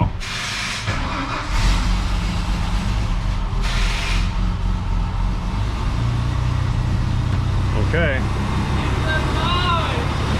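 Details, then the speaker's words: Teal Ford F-150 with 300 straight-six, towed in as a no-start, first start after restoring spark from a failed ignition module: runs low, uneven and labouring, barely alive; flooded badly from cranking without spark, expected to clear. "it was probably flooded very badly from people cranking it me included with uh with no spark"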